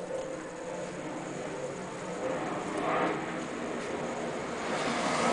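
Engine catches and settles into a steady, even idle with no misfire or stumble; sounds healthy and smooth.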